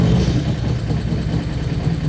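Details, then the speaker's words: 2024 Harley-Davidson Street Glide 117 V-twin, first start after an Andrews 485 cam install. Loud, rough idle with a fast ticking over the lope from unprimed hydraulic lifters, which must pump up as the engine runs long enough to build oil pressure. "lifter's got to pump up. I didn't prime it. Thing's gonna have to run for a while to build any oil pressure."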